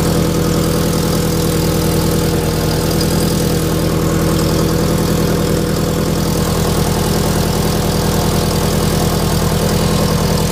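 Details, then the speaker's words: Toyota FRS with an unequal-length aftermarket header, idling with a rough, rapid puffing pulse from an exhaust leak at the header gasket; it sounds worse outside than in the cabin. "inside the cabin it doesn't sound all that bad but my wife drove it down the street and you could hear it it sounds awful"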